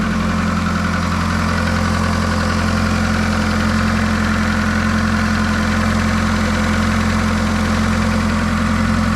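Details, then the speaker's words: 2000 VW Polo 6N2 (22 years old) at steady idle with a coarse rhythmic diesel-like clatter, about 160 ticks a minute, over a low hum; cause unknown, fuel pump also slow to prime. "we will switch on the engine so you hear the noise because it sounds like a diesel car so that's not good news"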